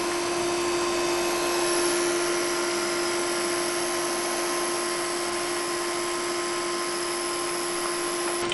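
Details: Laser unit with its scanner plugged into the front board: steady, clean mid-pitched whine with no rattle or wavering; scanner motor spinning normally.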